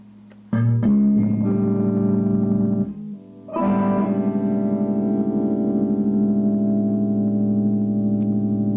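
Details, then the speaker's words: Dead solid-state guitar amp after repair, where the fault was only the switch points in the oxidized return jack: clean, full chords sustain evenly through the speaker with no crackle, hum or dropouts; normal amplifier output. "it's working and believe it or not just the switch points in that return Jack was all it was"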